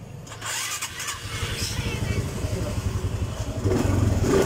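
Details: Honda Supra X 125 fuel-injected motorcycle with a hard-to-idle complaint: engine catches quickly and settles into an even low beat, picking up cleanly on a light rev; running normally.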